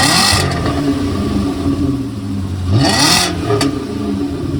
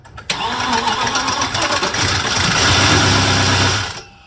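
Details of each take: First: VW Passat W8 4.0L manual 4motion, freshly installed replacement engine (old one suspected of a failed big end), early run: revs up and settles to a smooth, even run before shutting off, no knock or misfire; normal engine run. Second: VW Passat W8 4.0L manual, replacement engine just installed, first brief start of a few seconds: catches at once, harsh clattery uneven roar then shut off; sounds like timing is out, possibly just dry parts.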